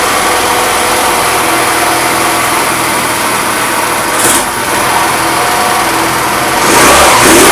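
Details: Fada Wind two-stroke scooter that would not start, after spark plug, air filter and starter ratchet replacement: loud buzzy revving steadily, climbing briefly near the end, no misfire or stumble; running cleanly.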